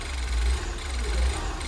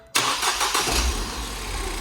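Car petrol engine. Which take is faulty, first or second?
first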